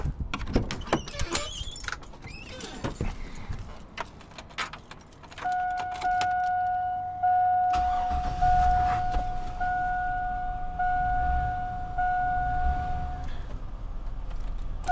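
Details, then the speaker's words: Chevy 1500, not driven: the engine fires and idles smoothly with no rattle, just the door chime. The whole truck rattles and won't rev smoothly only once put in gear; reverse works fine. "whenever you fire it up as you can hear it i was idling perfectly there was no rattle"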